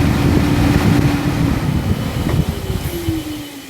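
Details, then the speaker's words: Nissan 370Z/G37/370GT IPDM auto active test, ignition on: radiator cooling fans run with a steady whoosh and faint hum, then wind down smoothly in pitch and volume as they coast off; normal cooling fan operation. "And then your cooling fans. So I'll try and get some light on for you, but no, you can't really see them."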